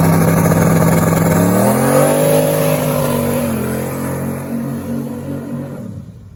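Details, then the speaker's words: 6.2 LS swapped in for a 406 SBC, carbureted, driven on a cool morning of about 45°F. The engine note climbs smoothly under load and fades away, firing cleanly with no misses or rattles. "Sounds good. I know. It's nice set. Sounds clean though."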